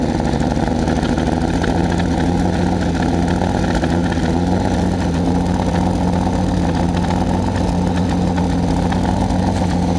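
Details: Mazda MX-6 LS at low idle with an uneven, stumbling misfire pulse and very weak spark; plugs and wires seem OK, owner suspects a bad distributor; the misfire reportedly calms at high rpm, which is not reached here.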